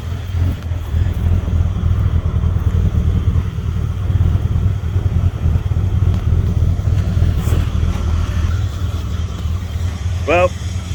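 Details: Ford EB Falcon manual six-cylinder after cleaning throttle body and idle actuator and changing leads, white smoke from carb cleaner: low uneven stumbling idle like a cylinder dropping out now and then; rough idle persists, cause unconfirmed.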